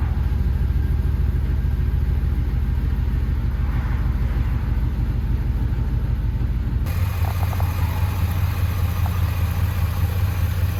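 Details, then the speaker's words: 2500HD four-wheel-drive truck with 6.0 V8 and 4L80 transmission, recently bought, fired up: deep, even V8 rumble stepping up in loudness, no misses or ticking; sounds better than expected, engine running healthy. "so after watching back that video this thing actually sounds way better than it should for what it is"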